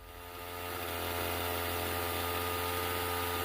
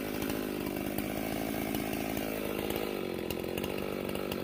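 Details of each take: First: Stihl MS391 chainsaw before repair: revs climb, then hang at a high steady buzz instead of returning to idle, a hanging idle; the throttle shaft was sticking and the carburetor dirty with gel crystals. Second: Stihl MS391 chainsaw after hanging-idle fix, muffler mod and retune (about 12,200 rpm, limiter 12,500): steady idle then a crisp quick blip straight back down; throttle response much better.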